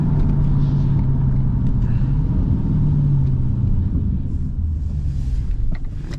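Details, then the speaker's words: Dodge Challenger SRT 392 Scat Pack with aftermarket exhaust, cruising then off throttle: low V8 rumble with a loose, lumpy burble. Normal exhaust burbles. "Damn, y'all hear the burbles? I already know that 360 back there got it."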